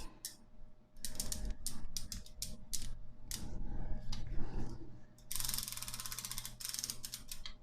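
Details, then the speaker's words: Rebuilt Raleigh Chopper rear wheel after the owner's first wheel lacing: quick light clicking bursts that ease off as it slows. The freewheel pawls engage cleanly and work normally. "that sound good in there yeah freewheel seems to be working on right now so yeah done and dusted first wheel"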